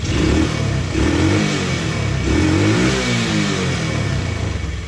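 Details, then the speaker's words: TaoTao 125 re-jetted with a Dynojet kit: blips up and settles back cleanly with no misses or popping; runs well. Idle slightly high, likely from a worn throttle cable. "Yeah, sounds pretty good to me. It's got a little bit of a higher idle, and I think that's just due to the fact that this cable is just kind of shot"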